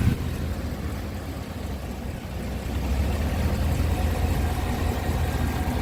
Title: slight knocking noise - 2018 Cadillac escalade